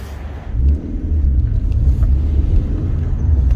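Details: Car with worsening sudden fault, running E5 fuel: deep lumpy rumble with uneven surges and stumbles; misfiring, owner initially doubted a blown head gasket, suspecting lambda sensor or injectors, with compression test next.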